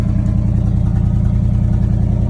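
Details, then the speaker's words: 1979 Chevrolet C30 on first start with weak starter, fed from a rigged gas can to the fuel pump: even, steady low thumping idle with regular firing and no misses or knocks; normal idle. "Overall, she sounds good."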